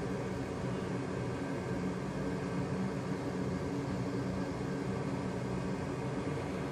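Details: Used replacement waste-oil burner in a basement, swapped for a roughly 15-year-old unit losing its bearings: smooth, even low hum with steady airy roar and no grinding or bearing whine; running normally, possible air in fuel hoses at first firing.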